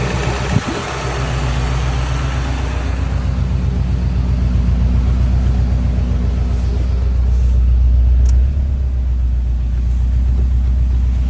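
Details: JDM Subaru WRX EJ205 flat-four at idle and through revs: deep, regular knock about four per second. Owner unsure whether rod knock, piston slap or timing belt tensioner; cause unknown.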